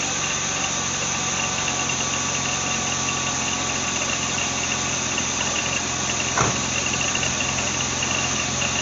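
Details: BMW Z3 2.8-liter engine idling with a steady thin whirr, squeaks and light rattle from worn idler and tensioner pulley bearings, worse under load; squeak used to fade once warm but now persists; water pump already replaced without curing it.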